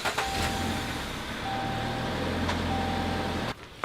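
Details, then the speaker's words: Electronic parking brake released after being applied and locked: a steady low caliper motor whir of about three seconds that cuts off cleanly; normal electronic parking brake release. "And now it's released."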